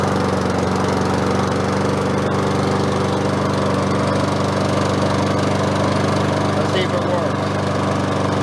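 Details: Craftsman self-propelled mower engine, started with choke on after auto-choke lubricated and control cable replaced: steady run with slight rise and fall in speed; surging, carb cleaning planned next.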